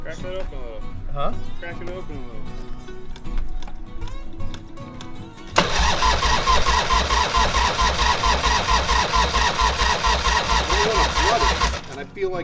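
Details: Harley-Davidson Fat Boy Evo 1340 V-twin after winter storage, carburetor cleaned, cranked on jumper cables: about six seconds of steady starter churning, never fires; suspected flooded.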